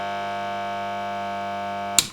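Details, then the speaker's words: VVT Lindy Fralin model valve amp combo, after swapping in a new rectifier valve with no improvement: loud steady buzzing hum on the HT until cut off. "No improvement there. So, to my mind, that is a horrible hum on the HT."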